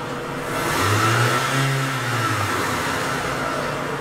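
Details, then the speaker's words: Mitsubishi Galant, check engine light, failed smog, MAP sensor replaced; engine climbs in revs and drops back with an uneven, faltering note, falling on its face as the defective MAF sensor signal glitches and cuts out. "I'm pretty sure as you watching this signal you can see the breakup in the signal you can see the whip changing you can see the glitches in between the squir wave so it's cutting out"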